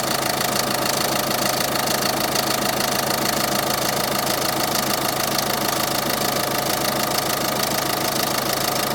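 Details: 2013 Peugeot 308 e-HDI diesel, 112,000 km: steady clatter with an even knock about three per second at idle; owner suspects tired engine mounts, and the anti-torque link jerks on engine braking and downshifts; not confirmed.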